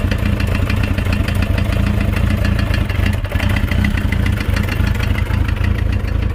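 Idling bike engine with a busy, clattering tap riding on top of the low beat, steady with no change in revs: a knock.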